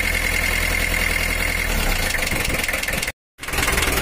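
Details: Mitsubishi L300 diesel with a cracked cylinder head: loud, clattering idle with an uneven, hunting beat and a short dropout, lacking power and unsteady rpm; the crack let water in, causing water hammer and bent conrods.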